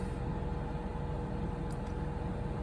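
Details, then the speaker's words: Cummins Onan generator on new Coachmen Nova 20C RV, 0.7 hours, after recall fuel-line hose replacement for vapor lock stalling, running Truma A/C on low: steady low hum with constant tone, no surging; normal running. "turn it on a low so I can hear and so far the inner the motor generator is operating"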